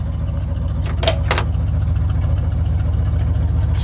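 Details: OBS GMC Yukon after a gas tank relocation, first start after priming the fuel pump: even, regular low idle pulse at steady speed, no misses or knocks; normal idle, though a fuel line fitting leak is found.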